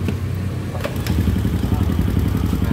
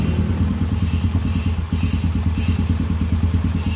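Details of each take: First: Honda Supra X/Grand motorcycle engine at idle: steady low idle with fast hollow tok-tok knocking like a loose part; clutch rattle at idle, from a loose clutch-basket rivet and worn damper rubbers. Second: Honda Supra X/Grand after repair of the common klotok-klotok engine knock: smooth even idle about three beats a second, no knocking or clatter, normal idle.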